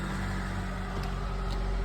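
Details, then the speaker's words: 1997 Honda CR-V that had a crank-no-start fuel issue in hot weather: after the fuel pump buzzes and builds pressure, the engine starts and idles with a steady, even low rumble and no misses, knocks or surging; now running normally. "All right. Moment of truth. The car is now running. Car is running."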